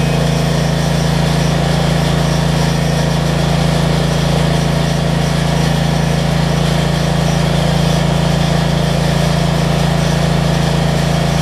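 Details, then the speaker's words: Generac 7500EXL generator after unplugging faulty low oil switch and slowing throttle speed, loaded with 1500 W heat gun: smooth steady drone, no surging or stumbling, good idle control, about 123 V. "it makes me show that all the basics work on this thing i always got to choke that's much better idle control"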